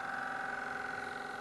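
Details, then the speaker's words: Long-grind bowl gouge inside a bowl on a woodturning lathe: rapid pulsing, singing buzz as the bevel is forced onto the work, with summer and spring growth compressing at different rates and making the tool bounce and chatter. "That's me forcing the bevel onto work. So that's the summer and spring growth compressing at different rates under the bevel of the tool."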